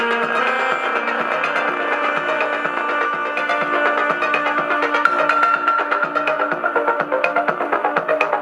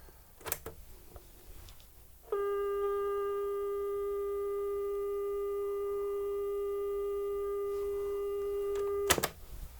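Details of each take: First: New Panda F-539 twin-deck boombox playing music from USB; one speaker is very distorted and probably broken. Harsh, buzzy, rattly crackle on every beat; distortion blamed on the speaker, not the player. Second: New Panda F-539 twin-deck stereo boombox playing a 400 Hz test tape, measuring 403 Hz on that deck. Clean, steady mid-pitched tone holds about seven seconds without wavering or warbling; tape speed is correct.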